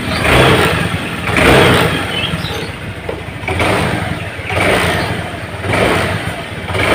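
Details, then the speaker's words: Honda Vario Techno scooter with a vacuum carburetor, torn vacuum diaphragm, fitted with a shortened slide spring: repeated throttle blips where each rev rises a beat late after the grip is turned; hesitation on initial throttle response. "Teman-teman dengarkan, begitu grip gas kita putar awal, seperti ada jeda di suara motor, seperti ada jeda. Jadi dia tidak akan seimbang antara grip gas yang kita putar dengan suara tarikan dari motor ini, teman-teman."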